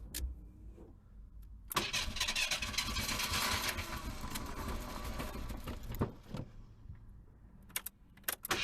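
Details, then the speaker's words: Long-sat Merkur, cold start attempt after fresh gas and new battery: four seconds of rough starter churn around four beats a second, never catches, then silence; owner suspects a bad fuel pump or fuse, not getting fuel. "serious man this thing is just not going to start I think I got a bad fuel pump it's almost guaranteed then God knows what else not much you just ain't getting fuel"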